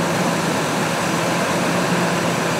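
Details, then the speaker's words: 2003 Ford F-150 with codes P0171/P0174 (banks too lean) after a vacuum leak was repaired: even, steady V8 idle with no hissing or hunting, running better and fixed. "the thing sounds like it's running better. So that fixed it."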